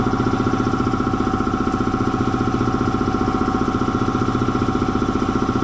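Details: Air compressor slowing down after an oil change to synthetic oil, first thought to be tying up: steady pumping chug about two and a half beats per second under load, bogging from a way-loose drive belt; belt tightened, then worked fine.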